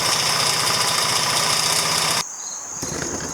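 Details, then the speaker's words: 2009 Genuine Buddy 125 scooter, now starting reliably with plenty of fuel; buzzy high-pitched idle drops sharply and barely recovers, bogging down on throttle; owner suspects a bad CDI, not confirmed. "So as you can see, it'll start up now pretty reliably, but it's bogging down when you give it throttle."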